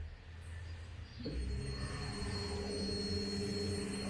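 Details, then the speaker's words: Ford Focus fuel pump actuated by scan tool with the engine off, heard from under the car with the tank not yet fully seated: a steady pump hum with a faint high whine switches on and holds even. The fuel pump is operating normally. "Beleza bomba de combustível funcionando serviço completo né"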